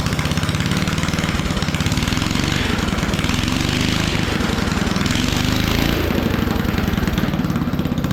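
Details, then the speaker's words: Old trike single-cylinder engine, choked, governor disconnected with throttle hooked directly: loud, lumpy, uneven firing pulses sagging as if about to stall, then it stops; runs rough, transmission works. "sounds like it's going to die but the trans works and everything"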